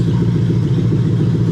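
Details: Lexus LS430 3UZ-FE VVT-i V8 in an IS200 with plug-and-play harness, J160 manual and remapped ECU, coolant still warming, zero trouble codes: smooth, even low burble with no ticks or misfires at steady idle; normal idle.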